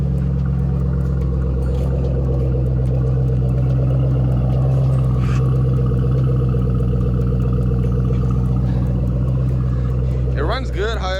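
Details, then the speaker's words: Mustang with 106,000 miles, bought as a no-start but starting fine with no check engine light, heard at idle from outside: steady low rumble with faint quick uneven ticking, about four a second; owner suspects an exhaust leak. "however, it does sound like it has a exhaust leak. But other than that, it runs great."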